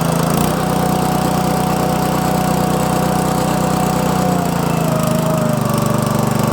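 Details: Honda GX200 small air-cooled engine test-started after an oil change to Amsoil 100% synthetic SAE 10W-30 small-engine oil, choke on, throttle about halfway: steady, even single-cylinder putter at fixed part throttle, no knocks or misses; runs normally.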